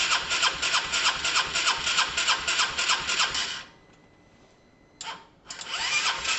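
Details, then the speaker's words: Honda SH125 after a new relay was fitted: steady starter cranking at about three compressions a second for several seconds, then stops without catching. No-start; owner suspects fuel not yet reaching the engine, unconfirmed. "that was interesting guys there was some sort of kick there was some sort of kick something um i'm gonna try again a couple of times in case it's just all the fuels just getting around"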